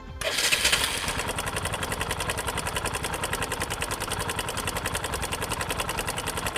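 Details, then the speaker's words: Kawasaki motorcycle engine starting and running with a fast, dry metallic rattle, cam/timing chain noise from the clutch side of the engine, for example from a wrongly fitted cam chain tensioner push rod. "This is called cam chain or timing chain noise. It comes from the clutch side of the engine."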